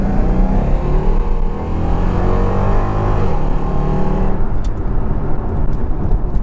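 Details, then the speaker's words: Jaguar XKR with a rebuilt V8 and sports cats under full-throttle acceleration: a deep booming roar rising hard, far louder than normal. The exhaust valves open at 3000–3500 rpm into the straight-pipe outer routes, giving an obnoxious drone. "which is quite loud while everyone likes a good v8 engine noise that noise is pretty obnoxious and it's not actually nice either"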